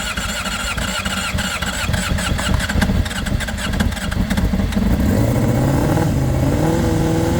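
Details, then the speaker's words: 2005 Honda CBR600RR, about 38,000–40,000 miles, first start with battery boosted: runs cleanly and picks up sharply through several revs with no misses or knocks; some blue smoke at start and an antifreeze leak noted afterwards. "No way. Wow. Woo. It's alive."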